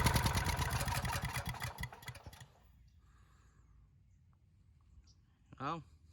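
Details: Neglected pawn-shop Honda generator, first start attempt: rapid firing for about two seconds that stumbles and stops dead; it won't keep running, with a carburetor fuel fault suspected and the carb to be taken apart.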